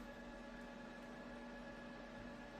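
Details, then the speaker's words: JMAZ Radiant PAR Duo LED light, all LEDs at full, about a foot from the microphone: cooling fan near maximum RPM, steady airy rush with faint constant hum, no rattle or coil whine; normal. "Alright, so this fan is about at its maximum for RPMs. Again, not a super loud fan, just definitely a fan sound, but not a annoying coil whine that you get with some budget-friendly light fixtures."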